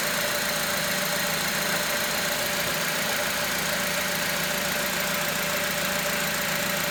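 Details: 2006 Honda Element at even idle: steady mid-pitched whir with faint rattle on top; owner suspects the timing chain tensioner, not confirmed.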